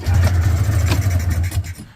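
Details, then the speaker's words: Polaris 650 Indy snowmobile (about 1989-90), long-sitting yard find, diesel down the cylinders: two-stroke catches and holds a low steady idle under two seconds with no rev rise, then dies; seized carbs, no throttle. "the carbs are frozen. So, uh, no throttle [Music] here."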